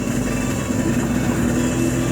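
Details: Honda Vario scooter that sputtered and would not electric-start, after repairing a burnt starter wiring socket: steady even idle with smooth hum, no stumbles or misses; engine running cleanly.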